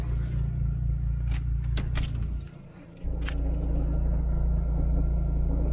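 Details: Astra under rebuild with supercharger install, right after reseating the fuel pump and tank seal: it catches after a brief dip, then settles into a steady, even low rumble with no knocks or misses; runs normally.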